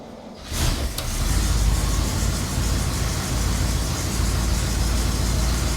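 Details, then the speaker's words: 1961 Cadillac DeVille V8 at idle after fitting 2.5-inch exhaust clamps: deep, loud, steady burble with no ticking or puffing leaks; still a little loud but much better, exhaust now heard exiting the rear. "it's still a little bit loud, but sounds a lot better. I can actually hear the exhaust coming out the back now."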